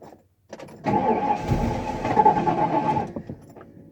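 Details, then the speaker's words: 1994 Ford F-250, 460 big-block fuel-injected, 95,767 miles, fuel pump left on, smoke from under the hood: about two seconds of steady cranking that never catches. Hard start; owner suspects a fuel delivery problem. "this is being ridiculous this should have just fired right up oh yeah there's some kind of problem with the fuel delivery system"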